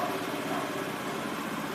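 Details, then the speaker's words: Honda Lead scooter idling after repair of a badly done earlier job that damaged an engine part and caused scraping: smooth, even buzzy idle, no knocking or scraping, scraping noise gone. "perfeito de novo tô com o microfone aqui chegar mais perto não bate nada acabou aquele barulho raspando"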